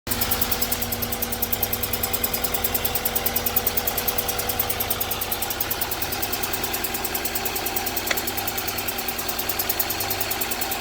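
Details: 1998 GSR engine idling unevenly with a lumpy pulse that stumbles now and then; sounds like a misfire, and code 73 suggests cylinder 3 (unconfirmed).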